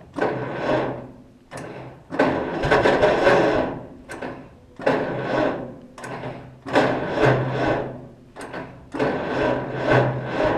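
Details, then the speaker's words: Cockshutt 40 tractor parked 2–4 years, on a borrowed battery, fuel off because the float valve isn't seating, no choke. Five sluggish cranking bursts, labouring and slowing, no firing; the starter drags on weak current from a poor battery cable contact. "Okay, we just lost contact. Yeah, that cable there I'm not happy with."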